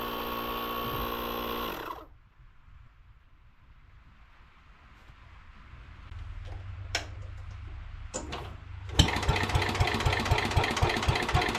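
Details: 1961 International Cub Cadet Original, 7 hp Kohler single-cylinder, first start-up, throttle all the way down, choked to start: catches and settles into a steady, even putt running with no choke, no misses or stumbles; healthy idle.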